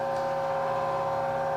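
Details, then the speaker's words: NordicTrack elliptical model 24035.1 in incline calibration mode, ramp still going up: steady even motor whine at constant pitch, no knocks or grinding; normal incline motor operation. "So we're still in the going up process. And you can kind of hear that."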